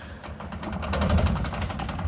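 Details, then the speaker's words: Truck's rear ten-bolt differential, broken at the track: with the truck in the air, the tire is spun by hand while the driveshaft doesn't turn, giving an uneven grinding clunk and heavy low rumble from the broken rear differential. "All right, Clay, go ahead and spin that tire. I want to show them what's going on. Ugh, that sounds gnarly."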